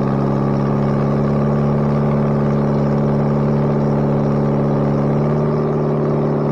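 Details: Bobcat 642B skid steer after head gasket replacement, working: even, steady drone with firm low hum, no knocking or misses; runs pretty good now. Normal running.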